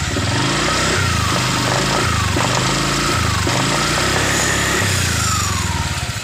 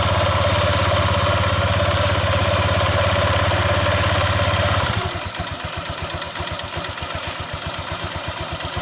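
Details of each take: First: Honda Vario 125 LED scooter after CVT repair for lack of power and rough CVT noise: repeated throttle blips rise and fall cleanly, clean at low and mid revs, drive even and free of rattle or grinding. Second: Honda Vario 125 LED scooter, lacking power with harsh CVT noise, engine running: steady idle then rough rattly grinding from belt drive on pull-away; mechanic suspects worn CVT rollers and roller housing.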